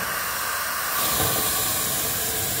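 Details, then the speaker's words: 12-inch diameter fire-tube steam boiler (pop-off set at 100 psi), blower valve opened: steady loud steam hiss swelling as valve opens further, increasing draft; blower working normally. "this is your uh blower valve right here"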